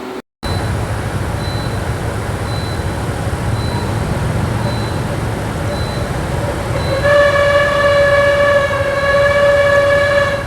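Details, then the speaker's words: Toyota Tacoma (2010 or 2011) at idle, AC freshly charged: a sharp steady squeal starts when the compressor engages. The compressor clutch drive plate's bonded rubber damper ring has broken free, so the drive plate slips while the compressor itself turns smoothly. "That outer ring is bonded with a rubber in vibration damper. It actually acts like a spring, and the rubber is broken free, so the compressor is slipping."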